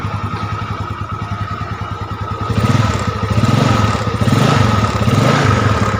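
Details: Yamaha Mio Sporty automatic scooter started after a repair for oil consumption, with the valve seals and rings worn. Single cylinder idling with an even quick pulse, then blipped smoothly up and back with no rattle or misfire.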